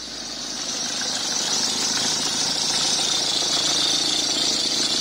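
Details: Peugeot 306 HDi 2.0 diesel at idle: loud harsh high-pitched squeal from the alternator belt tensioner/idler pulley, belt working its way off; spraying the pulley changes the noise, so tensioner is being replaced.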